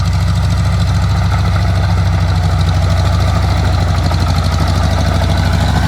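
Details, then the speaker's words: Oliver Cletrac OC3 crawler tractor test-driven in soft mud, engine under load: loud low uneven chugging that spits and stumbles, sputtering; owner suspects a vacuum leak around improvised carburetor seals, carburetor kit ordered but not yet fitted. "you'll see the old girl doing a lot of spitting and sputtering here that's cuz there's a bit of a vacuum leak around the uh improv carburetor seals"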